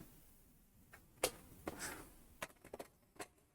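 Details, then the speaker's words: JVC HR-D210 VCR under repair, powered with standby display lit: soft clicks and clunks as tape is drawn in, threaded and plays normally. "I know you can't see it, but maybe you can hear it operating. Okay, playing."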